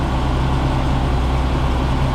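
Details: 1972 Mercedes-Benz 350 SL (4.5) R107 idling during a fuel pressure test, smooth and even with no misses or knocks; the gauge reads a steady 2 bar, healthy.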